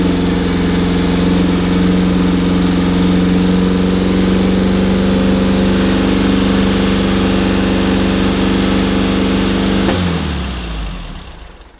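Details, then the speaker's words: VW Type 1-engined sand rail that starts right up: a steady, fast, even drone held well above normal idle, then it shuts off. The idle is still too high despite adjustment. "Yeah, that sucker's revving high, isn't it?"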